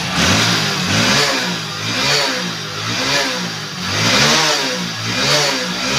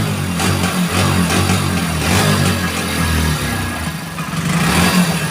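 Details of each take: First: 2021 Hero Splendor BS6 bike after the fix for throttle misfire: small single idles cleanly, then blips up and back down about once a second without stumbling or stalling, healthy running. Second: 2021 Hero Splendor BS6 fuel-injected bike with check engine light on, kick-started: revs rise then sag and stumble when throttle opens, nearly dying, misfire and bog on throttle.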